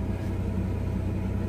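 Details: Steady, even low idle with a smooth regular firing beat, no knocks or misses, from a Chevy Blazer/GMC Jimmy 4.3 V6 after head gasket replacement; oil pressure 40–50 psi, temperature about 150, 14 volts charging; normal idle.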